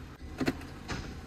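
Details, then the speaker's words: Smart Fortwo 451: two hard clunks about half a second apart when shifting into gear; clutch actuator sticking, slamming engagement, before fix. "you hear that slams slams into gear so I'm going to show you how to fix that"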